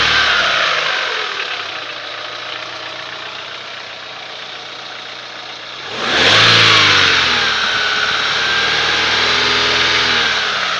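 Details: Daewoo Lanos 1.6: quiet idle, then a sharp rev that settles back; a faint tapping rides under the engine, a knock of unknown cause.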